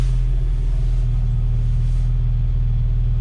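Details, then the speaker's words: 1997 Jeep Wrangler after clearing throttle/pedal position sensor codes. A steady, deep drone that holds high and won't drop below 1000 rpm as it normally does, with rpm fluctuating; the sensor is suspected to have failed. High idle. "no i'm still at a high idle so it's trying to come down apparently the sensors just went all the way bad"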